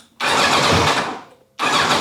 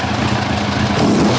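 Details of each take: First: 1990 Kawasaki ZZR1100, warmed with a little choke, suddenly running rough; uneven lumpy burble with irregular beat, no power, no ticking or banging; owner suspects a dropped cylinder, running on three, not confirmed. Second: 1990 Kawasaki ZZR1100 four-cylinder, which had been running on three cylinders: after plug leads 2 and 3 were swapped back, a short blip of revs is even and crisp, with all four headers getting hot and no misfire.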